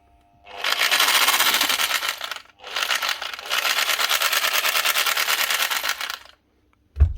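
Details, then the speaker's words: Old Metabo drill driving a handheld plastic extruder with heat gun: motor screams up in bursts with fast rattling chatter from the drill head but extruder not turning; worn low-speed gears stripped, slipping. "all right she's not driving she strapped something and it sounds like it's down in here in the head of the metab"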